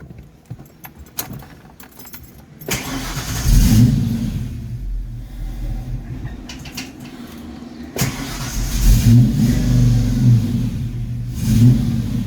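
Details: Foxbody Mustang V8 after distributor swap, catches after cranking but beat is lumpy and surging unevenly; still running rough with ignition timing not yet set with a timing gun.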